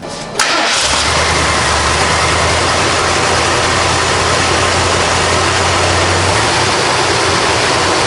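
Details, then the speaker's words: 1978 Ford Bronco, 351M V8 with C6 automatic: starter catches quickly, V8 fires and settles into a steady, even idle with no knocks or misses; normal start and idle. "We'll open the hood, fire the engine up, let you hear what that 351M engine sounds like."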